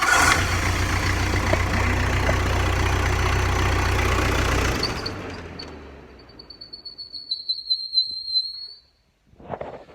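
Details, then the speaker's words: Backhoe diesel running with wrong-width belt of right length fitted as fan belt; thin high whistle lingering as engine winds down, belt slipping so badly it drives only the fan, not the alternator, so not charging. "so that's the that's the belt uh slipping it's actually uh it's only actually driving the fan right now it's uh slipping so bad that it's not even driving the alternator"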